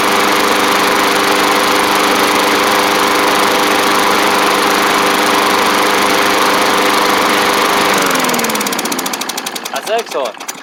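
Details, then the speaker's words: Bolens push mower, Briggs & Stratton Classic engine after repairs including carb kit: steady even drone without misses, then shut off and winds down; runs healthy. "I'll let it run for a little bit just to make sure it's all good but man it's she's cruising along um especially from where we started in this video"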